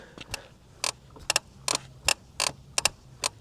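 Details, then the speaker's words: Kingbull Literider folding e-bike, 20x4 fat tires, 750 W rear motor, riding a steep hill over rough ground: sharp irregular creaks and squeaks; rider unsure, suspected battery, then front suspension. "Yeah, I don't know. It definitely seems like it's coming from the front suspension somewhere."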